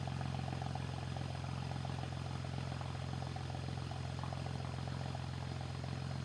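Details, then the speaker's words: BMW, cylinder one misfire that returned after a coil swap. Cold idle right after new, gapped spark plugs: a steady low drone with a regular stumble about three times a second. Misfire persists, so plugs are ruled out and injectors are next. "The new spark plugs are installed and everything's back together. Unfortunately, the cylinder one misfire is still present."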